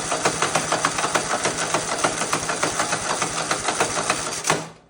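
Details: Husqvarna RZ5424 zero-turn mower with a Kohler engine, running after a no-start tune-up with new spark plugs: a quick, fairly even patter of roughly 200 pulses a minute, then cut off; sounds healthy.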